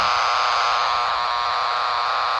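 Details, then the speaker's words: Radio at location 7, a pole with no transformers: very strong constant harsh hiss with a rough buzzy edge swamping the receiver; one of the strongest interference sources in the neighborhood. "interference in this pole. Very strong. I'm actually going to pause for a moment."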